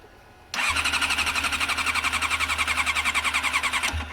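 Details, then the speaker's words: Cold Honda CM400 barn-find motorcycle (low-mileage CM400E/CM400A pair) cranking at about three and a half turns a second without catching. The owner blames the cold and suspects no accelerator pump; smoke follows from the exhaust. The cause is unconfirmed. "Okay, let's try this again. It's gonna backfire. It is. It's so cold. No, stop. It's just too cold."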